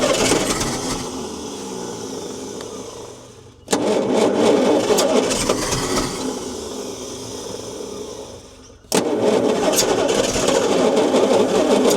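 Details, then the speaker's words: 1972 Bedford J series truck petrol engine after timing corrected: two start attempts, each catches, chugs unevenly and fades; misfire, running on about three cylinders, low compression on some suspected, possible vacuum booster leak. "She certainly sounds crook in the engine there somewhere. She might be scrap metal, old girl."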